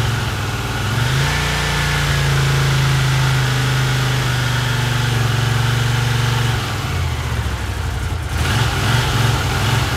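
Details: 1982 Honda CX500 twin, neglected for years, carbs cleaned and bench-synced with a welding rod: revs up, then idle sags and hunts unevenly with pitch falling away as if about to die; carb idle problem suspected, cause unknown.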